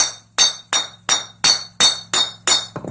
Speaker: don't know if you can hear that high-pitched glass kind of noise there. That's when you know copper is done gotten hard.